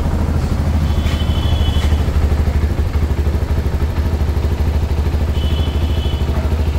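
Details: CFMoto 300SR single-cylinder motorcycle idling, CKD bike assembled in Bangladesh: busy sewing-machine-like "jhunjhuni" ticking from the top end, caused by loose valve clearance.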